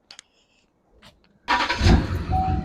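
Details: 450k-mile Duramax dually diesel started after a fuel filter change; brief clicks, then it fires promptly and holds a steady clattering idle, a normal start, though the loose filter was then found dripping fuel.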